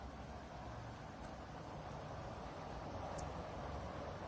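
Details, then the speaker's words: Dreo Pilot Max tower fan at top speed: quiet steady air rush with low even hum, no whirring or bearing noise, unlike the Pilot Pro; fan motor running normally. "r it blowing blowing air and you could hear the uh the motors I mean the motor I should say spinning but at least to my hearing I I don't hear that slight worring or bearing noise that I did in the Pro."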